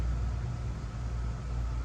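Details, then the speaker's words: 1956 Chevy Bel Air 265 V8, freed from seized and first running, open headers, no radiator, carburetor and timing untuned; low lumpy loping burble at slow idle, runs on its own. Rough idle. "Runs and it don't run too bad. Would pretty well sit there and idle by itself."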